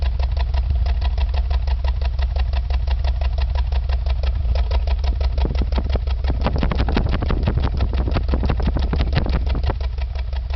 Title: Exhaust Misfiring